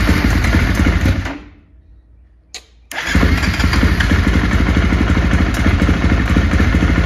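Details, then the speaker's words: 2018 KTM XCF 350 dirt bike after replacing cracked fuel pump filter that caused sputter and bog, seat off: engine cuts out, fires straight back up, settles into even, steady idle thump; normal start and idle. "looks good sounds good okay next step is uh put the seat on and then I'm gonna take it for a test drive"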